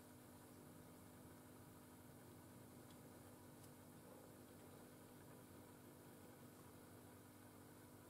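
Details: LM805 (805 tube) amplifier on the bench, tubes swapped left and right to trace the noise: a steady low hum with faint hiss and no mechanical rhythm. The hum comes from noisy output tube V02 feeding into the channel.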